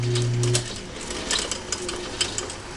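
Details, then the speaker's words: 1946 Logan 210 10-inch metal lathe running quietly, with light ticks about twice a second over motor hum from a riveted joint in the drive belt; belt needs replacing. "see it run nice and quiet I got a that clicking is I got a bad I felt that somebody riveted together so I need to put a new belt in there but now works pretty good"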